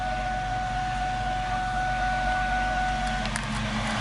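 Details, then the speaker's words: 2001 Mustang V6 idling in the garage: a steady high whine that cuts out as the clutch pedal is pushed and released, from a failed throwout bearing. A clutch job is needed. "you might be able to hear the problem I'm having when I push down. That's the throwout bearing."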